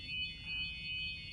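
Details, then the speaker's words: Moulded hearing aid cupped in the hands after replacing the battery and unscrewing the tone hook, tubing and mould: a thin, steady high-pitched feedback whistle, showing the aid itself is working and any fault lies along the tone hook, tubing or mould. "If we now cover the hearing aid in our hands"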